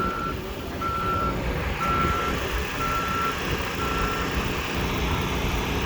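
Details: Dump truck at a watermain trench excavation site, clear single-tone reversing beeps about once a second over a diesel rumble; the backup alarm is working normally.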